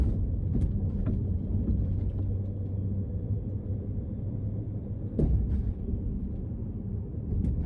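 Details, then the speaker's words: Front suspension on a 2008 BMW X5 E70 4.8i driving over bumps: small bumps give sharp knocking thumps, larger bumps a squeak, loud inside the cabin; control arms may not be the cause, owner suspects worn strut mount bushings. "やっぱり小さな段差を超えるとコンコンという音、そして大きめの段差を超えるとキーキーという音がします。"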